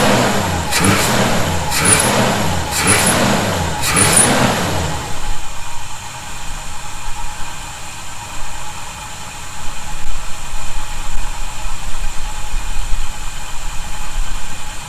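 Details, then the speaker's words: 1971 Chevy C10, after snugging up loose bolts suspected of a definite whistling noise: four quick throttle blips rising and falling cleanly, no whistle or hiss; owner doesn't hear it now but will keep monitoring; normal revving. "we'll have to uh keep an eye on that as we do some other things and make sure I don't hear the noise I definitely do not hear it right now"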